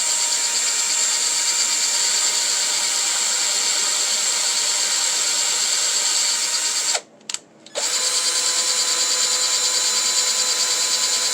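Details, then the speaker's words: WPL 4x4 RC crawler rear axle with a full metal upgrade kit being gear-meshed by spinning a drill on the wheel hub: high steady whine with fine gear chatter, a brief stop, then it spins in reverse. "So I like to get the drill and you put it on the wheel hub, not on your diff, and you kind of just give it some spins. Push and pull a little bit, slowly."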